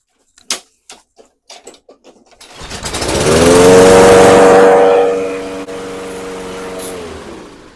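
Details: Toro 22-inch Recycler mower, Kohler 149cc 6.75hp engine, after carburetor cleaning, freed throttle butterfly, new bowl O-ring, air filter and fresh non-ethanol gas: several cord pulls, engine catches, runs to a steady even buzz; runs normally.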